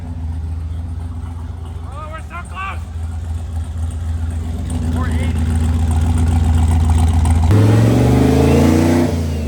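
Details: Body-swapped 99 Corvette "Jeep" on a dyno, made 580 on about 12 lb boost, earlier rich running and weird noises gone; steady, even drone rising smoothly as load comes on, no knocks or odd noises: normal engine pull under load.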